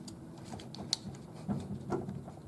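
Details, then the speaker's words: Nautilus U614/U616 exercise bike pedal worked by hand with relaxed pressure: irregular dull clunks and sharp clicks that stop under heavy pressure; owner suspects the pedal itself is the source, not confirmed. "And I'm kind of stomping my foot around in there now so you can hear it. Hear it? That's the clunking sound."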